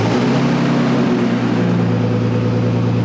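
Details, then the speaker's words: Nissan R32 Skyline first start after sitting 4 years without oil circulation: steady, even idle hum with no ticking from the top end, head surprisingly quiet; normal idle. "there she is there she is that's cool that's cool he sounds good oil hasn't been pumping through this thing in like four years the head's nice and quiet surprisingly"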